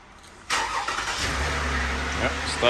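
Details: 2013 Toyota Sienna with Start-X remote start and RF kit: short burst of cranking, then engine fires and settles straight into a smooth, steady idle; normal start, hood closed, since remote start is blocked with the hood open.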